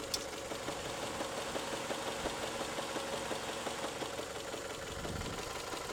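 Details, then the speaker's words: Toyota 3S-FE engine at idle, knock appearing after warm-up: strong, sharp knocks roughly three per second that come and go; intermittent engine knock, cause unclear. "Стучит. Бывает не стучит, бывает просто тарахтит, прям аж долбит как хрен знает что. Просто удары такие характерные. Сильные удары."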